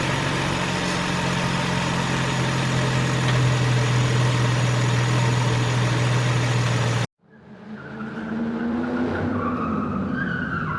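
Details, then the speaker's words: 2003 Nissan Maxima GLE 3.5 after partial engine rebuild (new pipe burning off): steady even idle hum with smooth low tone as the idle comes down, no misses, knocks or hunting; normal idle. "Idles. Oh, the idle just came down. Oh, goodness."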